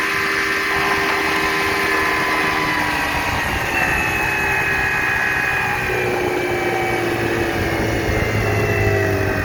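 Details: 1960 Scott-McCulloch 12hp outboard with a 14.1hp McCulloch powerhead, bronze Michigan Wheel prop, 24:1 full-synthetic mix, cruising on the lake: steady two-stroke howl at constant pitch, no misfires or knocks; normal healthy running at speed.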